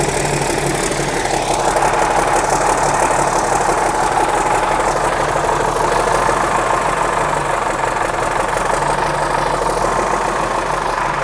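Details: 1963 Mack F600 old diesel, owner thinks an early C six-cylinder, just fired up after checking fuel prime; oil pressure coming up through the big filter. Steady idle clatter with faint turbo whistle above it, even: normal healthy idle.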